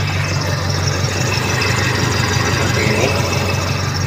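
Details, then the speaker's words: Toyota Kijang 7K carburettor engine with the customer's emission control module refitted during repair. An even, stable idle with steady firing and constant rpm, but carburettor solenoid on/off switching is not yet confirmed, so a bulb test on the switch wire follows. "bisa didengar untuk mobil sudah bisa stasioner ya tetapi kita belum yakin kalau modul ini bisa berfungsi dengan baik on off kan selenoid karburator"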